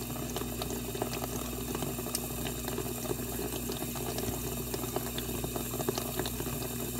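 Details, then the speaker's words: Dishwasher test run after water inlet valve repair/replacement: steady rushing and splashing of water filling the plastic tub, even flow, no sputter, no drips; fill normal. "you can hear water coming into the bottom of the unit because it's plastic"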